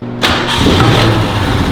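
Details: 1968 Ford Mustang that sat abandoned for 18 years, first start after a new fuel pump was installed. Brief crank, then it catches at once and settles into a steady, even run with no misses or knocks.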